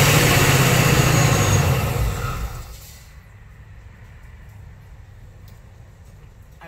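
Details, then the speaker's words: 2019 Ford Mustang Gen 3 Coyote, Vortech V3 supercharged, after spark plug change at 10,000 miles: loud running with uneven lope for about two seconds before shutdown; misfire as number three coil was left unplugged. "I forgot to plug in some of the coils yes sir that's exactly what happened"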